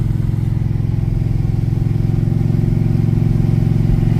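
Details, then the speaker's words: Wagon with a 6.0 LS engine swap, about 114,000 on it, driving after the four-link bolts were tightened: deep steady engine drone with no knocks, clunks or whines; it drives smoothly. "this thing is so cool it drives so nice the alignment's good there's no noises perfectly smooth"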